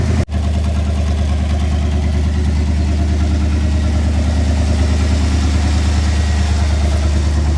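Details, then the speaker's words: Dodge Adventurer 4x4 revived after 10 years unrun, jump-started on a dead battery and revved hard: deep, loud, steady roar with heavy unmuffled low rumble; muffler suspected to have fallen off, not confirmed. "Oh, listen to this, eh? I think the muffler fell off."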